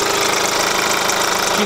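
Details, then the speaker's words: Kia Grand Carnival, 100,000 km, idling: chirping cricket/bird-like squeak over the engine sound, louder near the wheel well with tire removed; crank damper pulley suspected. "a strange noise, like the sound of a cricket, like a bird, in addition to the basic sound of an engine"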